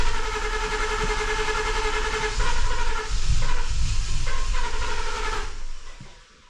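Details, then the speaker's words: 2014 Ford F-150 with ongoing misfire after new intake tube fitted, filter off: steady starter churning with uneven compression pulses, almost fires but never catches; crank no start. "good tried it tried it almost I thought it was about to fire off there for a"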